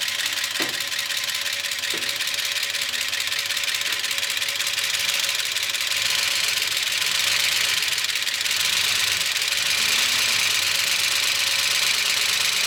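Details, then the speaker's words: 1976 Chevy C30 dually with a newly swapped Gen 6 454 big block: a dry, rapid lifter clatter that doesn't settle with revving despite over 60 psi oil pressure. No oil reaches the top end, so the lifters are bone dry. "These things are bone dry. And that's why it's so clicky. That's the actual lifters kicking, basica"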